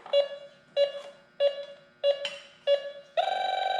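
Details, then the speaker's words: A/C refrigerant leak detector (model 5650) set to R-134a, wand at fittings with created leak: five evenly spaced beeps about 1.5 s apart, then steady fast chirp at leak; detector alarm, best for major leaks. "Hear it? Go away from it. Come back to it. See it? That's where the leak is."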